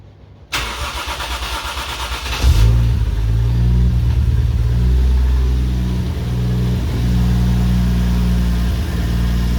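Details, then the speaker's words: Toyota 1JZ engine in a Mark 2, first start after a compression test with plugs, coil packs and fuel pump fuse refitted: starter churns briefly, catches with a couple of hiccups, then settles to a steady low idle; rough start with brief stumble. "little hiccups but um they got there count itself but yeah the thing that the numbers are lower it's a very healthy sounding engine it revs nice and makes plenty of power"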